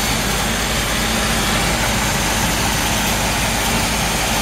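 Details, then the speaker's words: 1958 Chevrolet Biscayne V8, restored about 15–18 years ago and mechanically maintained, idling: smooth even idle with deep steady exhaust note; runs great. "hear the engine runs great i'm gonna shut it off and then we'll talk about the car a little bit more"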